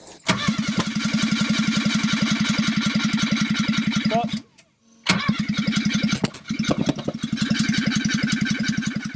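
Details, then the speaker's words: ST170-engined Mk1 Escort on an ME221 ECU with a base map, cranking with the fuel pump now on: fast even cranking beat with occasional sharp pops and backfires, never catching to idle; owner plans to check cam timing. "So unfortunately I didn't actually get the engine to run and idle. We've got spark, we've got fuel, we've got pops and bangs, we've got flames, but it's not actually running."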